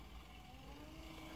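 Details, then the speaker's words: Power-feed motor with electromagnetic clutch on a one-to-one drive, speed control near 50: low uneven hum with wavering tone at slow speed; owner thinks it needs a new motor; rough running. "motor is not sounding the best i don't know if you can hear that"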